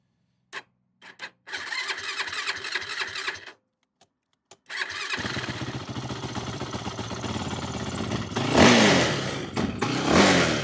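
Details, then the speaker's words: 2008 Yamaha YFZ450, a pieced-together ATV with the idle turned up and choke on: several short cranking bursts, then it catches and runs unevenly with surging revs while the carburetor leaks badly. "What's going on here? Carburetor is leaking bad. So, carburetors are leaking."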